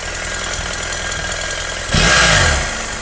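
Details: BMW F800GS/F650GS twin-cylinder motorcycle, hot engine at idle: light quick ticking over the steady beat that starts only when hot; owner thinks it comes from the right side of the cylinder.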